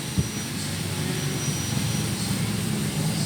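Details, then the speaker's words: Motorcycle engine running with a thin, constant high whine over its low drone; customer complained of howling noise; clutch housing and lining checked fine; cause is a worn internal axle bearing, requiring engine overhaul to replace. "Okay naman Wala naman sira to Okay na fit na siya yung lining okays paung lining okay pa ang problem ito yung bearing nitong axle na to"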